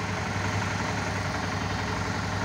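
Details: Suzuki DL 650 V-Strom after cleaning the clogged high-pressure fuel filter: steady, even low V-twin idle with no misses, surging or knocks.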